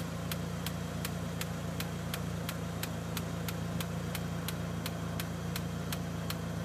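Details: Evo1 petrol engine at operating temperature idles with a sharp, steady tick nearly three times a second over a low hum, heard when the fan disengages.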